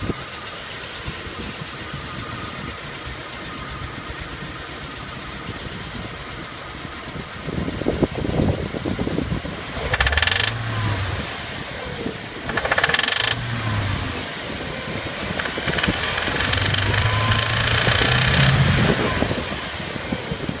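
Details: 1995 BMW E36, 265,000 km, rough-running petrol engine with a high, fast metallic chatter and ticking through short revs; light clatter under acceleration turned into heavy knocking; engine shakes badly, stalls after cold start.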